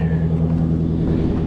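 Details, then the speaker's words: Lexus LC500 V8 with aftermarket intake at auction, idling: deep, even burble with steady low pulse, no knocks or ticks; a healthy-sounding motor, normal idle. "Yes, that is what I'm talking about. That is a healthy sounding"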